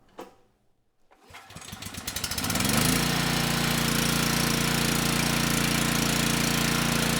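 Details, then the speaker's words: Generac WheelHouse 5500 W generator with Briggs & Stratton engine 204412, after coil replacement and tube replacement, choke on: pull-start catches and settles into a steady, even drone; normal running, 123 V output, speed a bit slow at 58. "This time the engine started and stayed running. The engine sounds good and we're making power."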